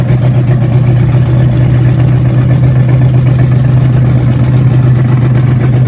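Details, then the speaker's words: Car "Betsy", day after camshaft break-in and idle timing set: low idle thrum about four pulses a second with uneven beat and slight lope, not running right; rough idle, owner suspects a vacuum leak, unconfirmed. "so that is all I hope you guys enjoyed unfortunately today we tried to start the car and it's just not running right"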